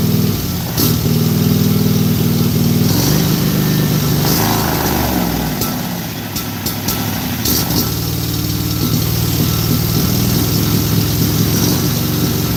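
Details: Briggs and Stratton small engine with plastic carburetor, started without choke, runs steadily with a slight dip in speed partway and a few clicks but no stalling; normal, healthy running.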